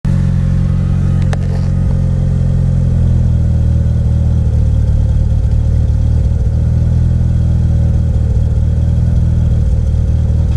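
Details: DSM petrol engine idles with a lumpy, uneven misfire; everything replaced except the ECU and coil pack and it still misfires.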